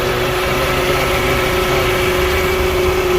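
Smooth steady idle with an even hum and a constant tone; no misses, knocks or hunting, so the engine is running normally.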